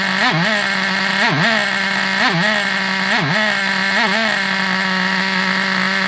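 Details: Vintage Traxxas nitro RC buggy engine on the bench: high, buzzy whine holding steady, dipping and recovering about once a second with throttle blips; runs cleanly.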